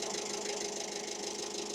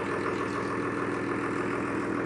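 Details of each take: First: Diesel engine in a workshop with John Deere 6600 and Tailift forklift jobs idles harsh and clattery with a busy, uneven knock; air bubbles are seen at the second injector, changing the tone, and the air source is still unknown. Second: John Deere 6600 diesel tractor in for an injector leak fix settles into a steady, even idle with no misses or knocks; a leaking stack pipe at the top of number one injector is found while checking, yet it runs clean.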